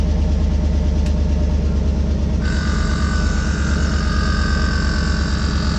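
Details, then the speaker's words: 2013 GMC Yukon Denali with AutoRide (Z55) air suspension, just after installing a new air compressor: engine idling evenly, then a steady higher compressor whir joins and holds; compressor runs normally and fills the bags. "I'm gonna start this thing up. We should hear that compressor turn on."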